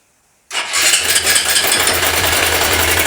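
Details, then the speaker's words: Honda Bros 150 at idle: engine catches with a fast, dry metallic clatter on top like a sewing machine; cam chain noise, worn cam chain with a slipping tensioner. "Cara, chegou essa brozinha aqui com o mesmo defeito, barulho de corrente de comando."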